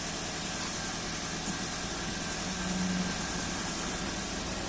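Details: 2005 first-generation Toyota Avanza at idle after repair, scanner showing no trouble codes before live data reading: quiet, even idle under background hiss, no misses, knocks or hunting; engine healthy.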